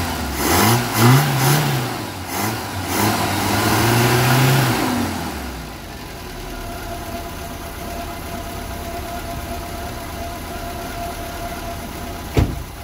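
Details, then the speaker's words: 1975 Vauxhall Viva HC barn-find with newly fitted Weber carburetor and Edelbrock intake, after running a 12-volt feed to the carb's idle cut-off solenoid: crisp throttle blips rising and falling cleanly, then steady, even idle with no misses, "purring like a kitten"; normal idle and revving. "there was just purring like a kitten turn sounding lovely"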